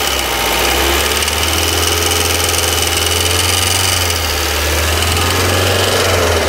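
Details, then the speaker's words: Engine at steady idle: light, fast, uneven ticking over a loud hiss; appears to come from the cylinder head; crankshaft seal oil leak also noted; cause suspected, not confirmed. "beleza é esse barulhinho aí pessoal e parece que é do cabeçote"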